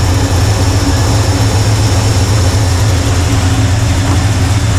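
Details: 1985 Chevy C10 with Blueprint 350 V8, unable to exceed about 500 rpm, timing being reset after the distributor moved: a loud, lumpy, uneven idle. A vacuum leak introduced when the intake was redone for an oil leak is suspected.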